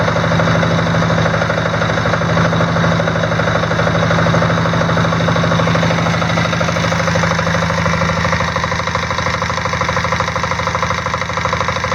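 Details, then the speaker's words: Diesel Sears off-road mudding tractor with a newly installed alternator (60 A per its certificate): a steady, even diesel idle at about two and a half beats a second with no knock or squeal. Battery voltage rises from 12.4 V to about 13.1 V, so it is charging. "so I'm going to hit the glow plug and see if we can hear the alternator bogging the engine a little bit"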